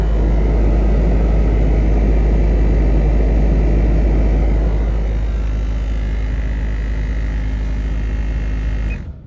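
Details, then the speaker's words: Land Rover Discovery 2 blower motor, fine on low but at high speed: steady deep droning roar with low throbbing resonance, fading when switched off; owner suspects the blower is filled with leaves and debris. "not sure if you guys can hear that but it's sounds like it's almost resonating"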